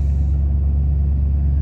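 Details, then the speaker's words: 1993 Ford F-150, about 110,000 miles, at startup: deep lumpy uneven idle as check-engine light flashes codes 998 (limp mode) and 122 (throttle position sensor); failed TPS has it in limp mode, part on order. "All right, so now let's start it up here. Idling like garbage. There's the flash."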